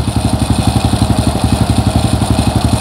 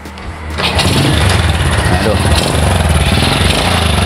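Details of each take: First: Single-cylinder motorcycle at idle after piston replacement and valve work (skir klep), cylinder head reinstalled: steady even putter, no knocks, starts easily and clean exhaust with no smoke; previously hard to start due to a worn piston; normal idle. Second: Honda Supra Fit motorcycle, owner complains it's noisy and feels heavy/lacks power; starts and runs at quick idle with uneven clattery beat; mechanic suspects worn piston rings, scored piston and block, slightly loose cam chain.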